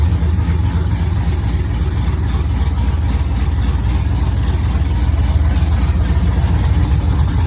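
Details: Engine started for the first time after a PCM flash, with no radiator fitted yet: low, slightly uneven loping idle pulsing three to four times a second, due to a vacuum leak.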